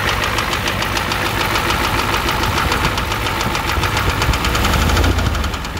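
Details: 1988 Ford F250 7.3L IDI diesel at idle, with a high-pressure fuel line leak, white/gray exhaust smoke, smoke from the oil dipstick and oil in the add zone: sharp steady knock about three per second, louder than normal clatter.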